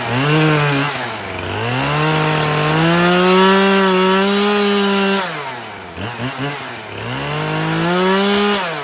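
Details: Poulan Pro 50cc 20-inch chainsaw after loose-chain repair, gas cap now venting, running 40:1 premix: two-stroke revs up and drops back cleanly, pitch rising and falling evenly with throttle, runs strong and healthy.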